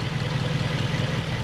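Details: Toyota 1UZ-FE V8 in an Altezza, injector-unplug test showing half the cylinders not contributing: lumpy uneven idle with loping low beat; cause seemingly a broken distributor rotor installed backwards, running on four cylinders.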